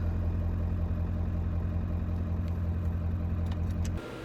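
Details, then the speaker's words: 1995 Ford F-350 7.3L diesel at 39°F after glow-plug relay replacement: starts right up into an even, regular idle; voltmeter stays down, then the relay disengages and voltage climbs back to normal charging; normal idle. "start right up and the noodle is staying down like it should and in a minute it will climb back up to its normal charging voltage so they're the relay disengaged and the voltage is climbing back up"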